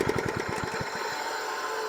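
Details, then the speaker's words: Wacker plate compactor that runs but won't vibrate, heard at switch-off: engine winds down with pulsing thumps slowing from about ten to five a second, fading out; slipping drive belt suspected as the cause. "You hear that reoccurring noise. That's part of the problem, and I think I know what it is."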